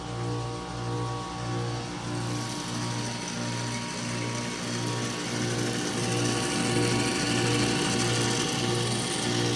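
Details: 2020 Carrier AQS heat pump outdoor unit with coil completely iced over after about 27° night: low, regular clunk-ratchet about twice a second over fan hum; mechanical cause unclear.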